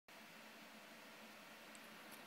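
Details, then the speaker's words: MacBook Air laptop fan at about 40% CPU usage, heard from a short distance: loud, steady airy whoosh with a faint constant whine and no rattle; cause not confirmed. "did you hear the fan noise is so loud okay right now it's like um not very far away just like this far away to hear the fan noise it's pretty loud"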